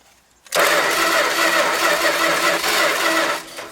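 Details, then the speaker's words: Dodge Power Wagon 200 Dude four-wheel-drive V8 plow truck, parked 40 years, with toast plug wires; steady, even cranking that never catches, very faint spark. Owner suspects the points (or condenser) and will replace them. "points I'll pick up a set tomorrow that's got to be what it is luckily points are cheap"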